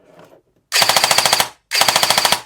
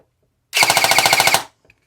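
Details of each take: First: CYMA REC10 SR25 airsoft AEG after setting the motor height to the sweet spot. Crisp, evenly spaced cycles, about fifteen a second, with the earlier whirring noise gone; clean slow cycle. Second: CYMA REC10 SR25 airsoft AEG during motor height adjustment by quarter turns. A short rapid burst, about twelve shots a second, with a gritty whine. The motor is not set high enough; tightening it further made a big difference.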